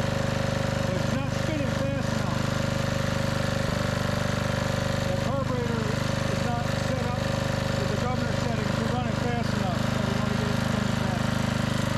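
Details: Trash-found 5000 W Generac generator with new carburetor, being jump-started with drills to restore power output: steady low drone with even pulse that never builds up, not reaching governed speed for 60 Hz; governor linkage position suspected.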